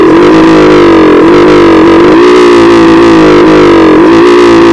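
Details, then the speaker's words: CT 100 motorcycle: a small single-cylinder engine whose note sags and stumbles every second or so before recovering. It keeps cutting out and misfiring even though the carburetor was cleaned and the ignition coil replaced. "So nakita niyo naman yung intro natin nagpuputol putol yung andar at tayo humot"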